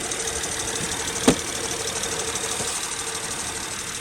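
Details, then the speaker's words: Acura TL J-series V6 after drive belt and tensioner replacement (previously noisy, rattling, tensioner oscillating): quiet even idle, smooth belt whir, no squeal, one brief click; normal idle after repair. "So as you can see, the car is now running. I no longer hear the noise. The belt is not squealing. So that means the job is done."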